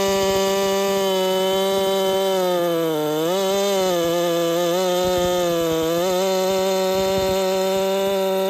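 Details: Holzfforma 372 chainsaw, big bore kit, wild porting, first test with ignition timing advanced: near-full-throttle scream dipping twice under load with uneven popping, won't clean out; owner suspects timing too far advanced.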